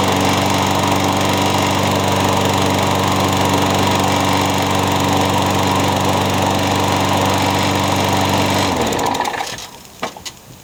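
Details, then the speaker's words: Craftsman mower single-cylinder engine, first start after new piston rings, donor carburetor and old head gasket reused: steady, even, fast exhaust beat before shutting off; sounds healthy, but the blade feels out of balance. "it sounds good but it feels like the blades out of balance"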